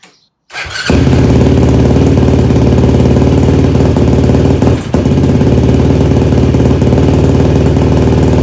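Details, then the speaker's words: Yamaha YFZ450 rebuild, rebuilt carburetor with new jets, restarted with fuel petcock now turned on: catches after short crank and runs loud with a lumpy, uneven beat instead of clean idle; rough running, jetting still needs adjusting. "So we're gonna have to mess with the jetting a little bit still, but it obviously runs better with the gas turned on."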